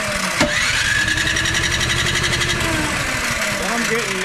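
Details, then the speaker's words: MTD Pro 21-inch electric-start snowblower with a new carburetor: it ran 1.5–2 minutes, then died. Steady rapid cranking with the odd weak cough that never catches. No spark, traced to a failed ignition coil. "I every now and again if I'm trying to start it it'll it'll do something and act like it wants to start but other than that nothing"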